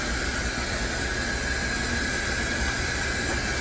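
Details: Samsung washing machine after the flange shaft replacement, on its final spin cycle: a smooth, even whoosh with a steady high motor whine, no knocking or thumping, no longer walking around; repaired, normal spin.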